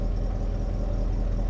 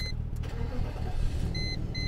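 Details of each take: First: I did remove the oxygen sensor that's why there's a grumble okay she needs a new cat Second: Cheap Copart car idling very smoothly, low even hum with no misses or knocks, dash chime beeping; car stuck in limp mode with incorrect gear ratio message, owner thinks transmission or conductor plate; normal engine idle.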